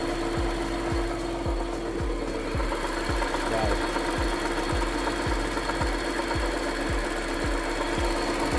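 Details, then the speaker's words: 2019 Audi Q7 3.0T supercharged, supercharger belt off: rough gritty marble-like grinding with steady hum and dull thumps about twice a second, mistaken for supercharger; cause worn A/C compressor pulley bearing, replaced. "So the AC pulley went out on the Q7 3.0 supercharged, and to everyone that thinks that it makes a supercharger sound like I did, you'll very much think it's a supercharger sound."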